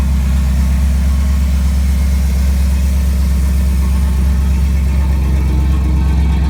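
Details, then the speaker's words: Ford 460 V8 freshly converted to FiTech fuel injection, roughly 30 miles on the system, cold start after inline pump priming: deep, steady burble, even rhythm with no misses, knocks or hunting; healthy. "and now I'll start it you can say it's not very warm at all"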